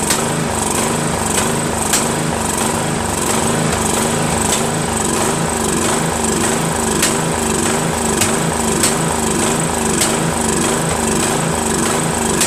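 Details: Craftsman 13.5HP mid-engine riding mower, replacement engine repower, first start after new starter and battery: uneven thumping rising and falling with sharp pops, rough running and backfiring; owner suspects key sheared when banged in, timing slightly off.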